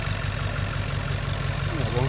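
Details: VW four-cylinder petrol engine idling with a low, slightly uneven beat, a misfire on cylinder 3 from a leaking injector.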